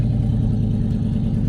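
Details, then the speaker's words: Turbo LS V8 GMC Sierra idling and warming up after cleaning the fuel cell and refitting a clean fuel filter: deep, steady, even rumble with no misses, knocks or ticks; good fuel pressure. "Letting it warm up now. Got good fuel pressure. Sounds good, ready to rip."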